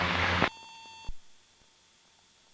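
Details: Beechcraft Duchess BE76 during stall practice; short steady high tone for half a second near the stall: stall warning horn.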